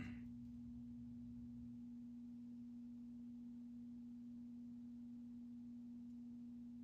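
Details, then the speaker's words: Space Duel arcade game under restoration: pure steady hum around a couple hundred hertz over quiet hiss, a stray tone from the audio circuitry; not the speakers, harnesses being unplugged to find the source. "Nope. Making that noise again already."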